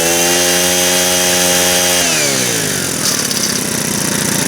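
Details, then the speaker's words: Ice auger engine after servicing, once the oil burnt off: it winds down from high revs with a rough, gritty crunch as it slows; owner suspects the drive clutch, possibly run low on oil, and notes smoke and an oil leak. "Well, it seems to be okay once I got the oil burnt out of it. It's got a bit of a weird kind of crunch as it slows down."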